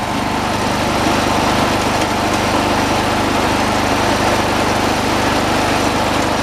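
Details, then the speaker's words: 1986 John Deere 216 lawn tractor, single-cylinder, throttled up to where it should be: fast, even buzz, no surging or hunting; throttle linkage left alone; normal high idle. "right about there I think it's all right where it is"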